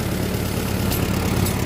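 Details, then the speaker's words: Farmall M tractor idling normally after a short drive, with double fuel filtration to the carburetor; an earlier shutdown was blamed on faulty wiring: low, even idle with a steady beat and no stumbles or misfires, "purring like a kitten." "Filter, guaranteed clean fuel in that carb, no doubt about it. And boy, it's just purring like a kitten."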